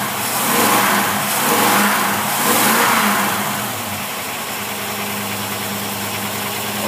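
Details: Refurbished Holley marine carburetor with vacuum secondaries and salt-water pitting, tested on a running engine: a few smooth revs climb and fall, then settle to a steady, even idle; carburetor working fine.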